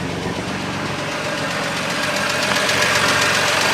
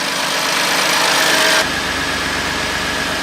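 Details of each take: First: BMW M2 Competition salvage rebuild, running with no coolant in system: light fast ticking rattle about 3–4 per second over idle from top end; MMI shows oil level okay, cause unconfirmed. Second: BMW M2 Competition rebuilt after crash damage, approx. 630 bhp, decats fitted, with valves closed: steady, even, really quiet idle with a smooth hum, no knocking, ticking or misfire; engine sounds healthy.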